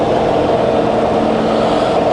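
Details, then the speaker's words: Fully rebuilt Bridgeport variable-speed milling machine, quill power feed reversed, feeding up: even, steady mid-pitched hum, no knocks or grinding; quill feed smooth and quiet. "You see it's now feeding up, and that's all working great. Really nice and smooth."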